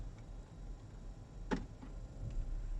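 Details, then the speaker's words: 2011–2017 Jeep Grand Cherokee WK2 shifting out of park into reverse, after the fix of setting the emergency brake before parking: low idle rumble, one light shifter click, and no driveline clunk. "it's extremely smooth, there's no clunking, and it's just like a brand new vehicle."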